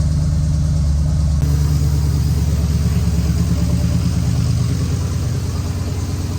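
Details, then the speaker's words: Dad's tuned Jeep with bigger cam, lumpy V8 idle with an uneven stumble about three times a second, whole Jeep shaking; one cylinder dead with a plug wire off: misfire. "That ain't running good. That wasn't crazy. Ran parking here like like a bounce buggy."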